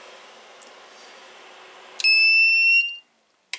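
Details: 2000 W power inverter on a 12 V power supply, with an internal short where ground touched positive: a single steady high-pitched beep under a second as it powers on and the fan starts; normal startup.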